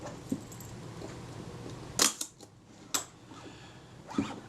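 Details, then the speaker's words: Kodak Retina Reflex type 025 shutter, serviced for a faulty shutter release after an earlier meter repair: on self-timer at 1/8 s, faint timer run then a crisp double click about an eighth of a second apart; shutter times correctly, normal operation. "set the shutter speed to let's set it to an eight note should be around about there that sounded credible to me"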